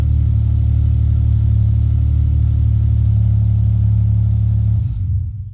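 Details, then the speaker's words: Ford Mondeo after engine bay fusebox harness rebuild, previously not cranking: fuel pump primes, then a steady even low rumble with no misses or knocks and a clean shutdown; normal start and idle. "Yeah, you can hear the fuel pump definitely priming up. There you go, guys. That worked."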